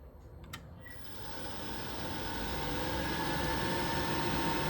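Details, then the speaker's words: Worcester Greenstar Ri boiler after turning the gas valve anticlockwise to adjust the air/gas ratio: a click, then the fan spins to a steady whir with no whoosh of ignition. Burner not lighting; needs further adjustment. "doesn't sound like it's firing at all now, so I might need to make some more adjustments on there."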